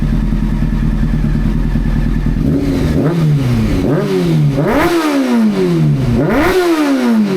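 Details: Old four-cylinder motorcycle after carburetor butterfly balancing and fixing a split-manifold air leak: clean throttle blips rising and falling evenly, no popping or flames, running smooth.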